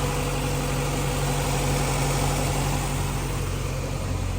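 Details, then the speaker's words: 1990 Honda CRX with B18C5 engine after cylinder head refresh with three-angle valve job and MLS head gasket, new thermostat, first start: smooth steady idle, even low hum, no misses or knocking, no smoke. "sounds good it's not smoking is it we'll let it warm up"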